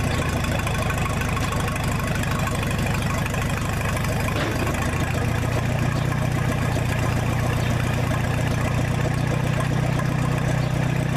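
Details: 1966 U302 Super idling under its own power after earlier rebuild issues were corrected: a loud, open, steady low thump with an even beat and no knocks or misses, running healthy without a muffler.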